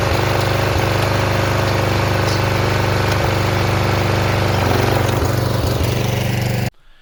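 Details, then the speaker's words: Flood-damaged, previously seized Snapper rear-engine rider single, pull-started on choke with water still in the tank and ATF still in the motor: runs loud but unevenly, with pops, coughs and stumbles before cutting out; owner suspects the water. "When I drained it out, there was still a lot of water in this tank. And I tried to get it all out. And I think that's kind of why it's popping and coughing."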